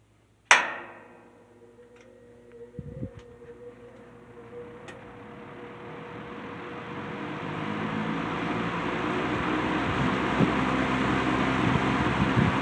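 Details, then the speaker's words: C&H Whizzer 20-inch box fan after swapping in a replacement motor (original General Electric two-speed motor had issues); startup: sharp click, soft hum building to steady even airy rush, runs smooth and healthy. "So, we're just going to start off with the with the low speed. Sorry, the high speed has a really cool startup sound to it, too, by the way."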